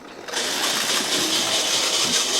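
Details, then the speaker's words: Kit-built OO gauge SDJR 7F 2-8-0 model locomotive at about 50% on an MRC Sound and Power controller. High, buzzing whir with a rough edge, noisy despite lubrication, source unknown. "it's very sort of noisy although I did lubricate it I don't know what that noises coming from it's making dubious noises"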